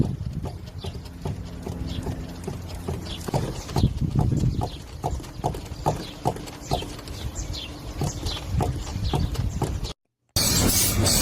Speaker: Two, metallic clunks plus squeaks while turning, strut mounts {slash} top mounts. Symptoms, a metallic clunk plus a rubber squeak when turning or driving on broken pavement.